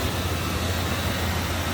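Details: 1994 Chevrolet K2500 Silverado 4x4 extended cab, 5.7-liter V8, one owner, original miles, idling with the hood open at the engine bay: deep, even low hum, no knocks, ticks or hunting, and it runs smoothly.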